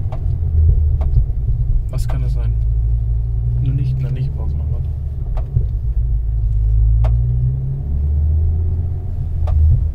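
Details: 2009 Ford Focus ST MK2 facelift, 5-cylinder turbo, 190,000 km, stock: deep rumble with sharp irregular clunks only under harder acceleration, felt from the passenger side, possibly appearing after a wheel alignment. Torque mount suspected, not confirmed.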